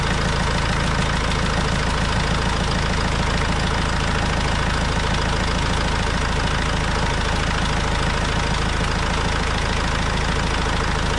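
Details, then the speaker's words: Vauxhall Vivaro diesel van, first start after an overdue service with new oil and filters: steady even diesel clatter with smooth low rumble at idle, no misses or knocks, no leaks; normal idle. "well hope you can hear me okay but i can't see any leaks from anywhere sounds nice enough for a dirty old diesel yeah sounds good"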